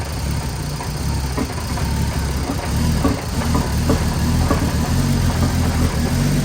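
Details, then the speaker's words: BMW 335i N54 with a single turbo, tuned on E30, without port injection or B58 coils. On a cold start with E85 in the tank it fires lumpy and uneven, with stumbles. The rough running comes from the mismatch between fuel and tune. "this is the start and how it basically a cold start and how it starts when you have E85 in the tank and 985 tuned"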